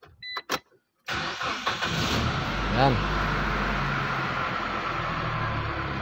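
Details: 2013 Mitsubishi L200 diesel, P0335 crank angle sensor no-start case: short crank catches quickly and settles into a steady, even diesel idle with no misses or knocks; starts and runs normally.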